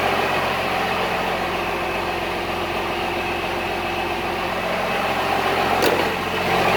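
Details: Cummins-swapped squarebody Chevy diesel truck idling after installing dual plastic fuel tanks on a single filler neck; steady, even clatter with no stumbling, surging or misses, not lacking fuel, though it later chugged to a halt and the owner wonders about fuel supply.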